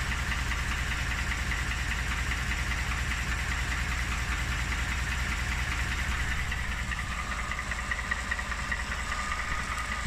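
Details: Second engine (motor #2) showing knock: steady idle with an even tapping of roughly two and a half beats per second over the engine; persistent engine knock, cause not yet pinned down.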